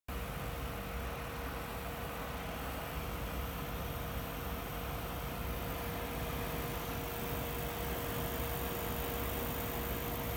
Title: Corsair cx850m Buzzing noise